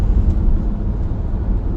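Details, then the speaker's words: 2015 Chrysler Town & Country at 60 mph on a hot day, after replacing the rear hubs: only a steady low road rumble, no growl or hum rising with speed; the previous rubbing noise is gone, quiet hubs. "And you do not hear that noise. So the hubs have been replaced, the noise is gone. Sounds so much better,"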